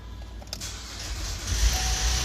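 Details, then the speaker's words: 2011 Chevy Traverse 3.6L, P0008, check engine light on, timing chain possibly replaced elsewhere, cold start after sitting all weekend: cranks, catches, then a metallic rattle over idle before oil reaches the valvetrain. Timing chain suspected; cold start rattle. "oh yeah made a pretty good noise there you guys just from a little bit of luck oil right away so it got up into the valve train you can hear it rattling"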